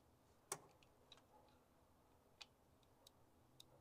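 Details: International Scout 80 (1963–65), sitting over 10 years, engine believed rebuilt in 1977; in neutral: faint, irregular single clicks every second or two with no cranking; the starter won't turn the engine.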